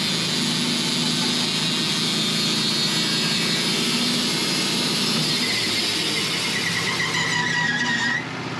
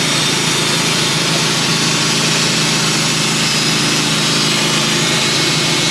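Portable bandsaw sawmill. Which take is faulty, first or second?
first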